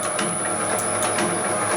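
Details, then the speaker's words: Homemade materials processing machine (copper cutter/can crusher) after freeing its sticking gate with silicone spray: even clatter about four times a second over a thin high whine, no labouring; ran 35-40 minutes without the motor getting hot, with air felt moving over it. "So I was running it like this for probably 35-40 minutes before, and it didn't get hot. Because even running at that speed, you can still feel air moving over the motor."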